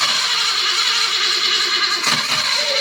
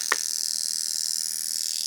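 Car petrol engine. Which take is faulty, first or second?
first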